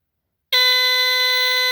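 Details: Dicon 200 smoke detector, rare older Canadian version without LED, battery connected: after short silence a loud steady shrill horn tone around 500 Hz with piercing overtones. Normal alarm.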